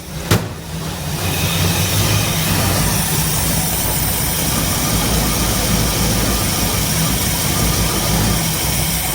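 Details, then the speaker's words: 1966 Ford Ranchero, factory V8, with good spark and fuel, still needs to warm up: catches after a brief crank and settles into a steady, even idle with a smooth low rumble; normal idle. "better that oh yeah got to warm up a little bit and we'll go a couple times and see what it [Music] does"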